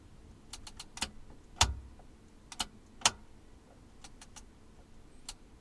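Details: Pioneer SX-550 receiver at first power-on after being reassembled: about a dozen irregular sharp clicks over six seconds against a faint hum, from the power section; it then stopped, cause unknown.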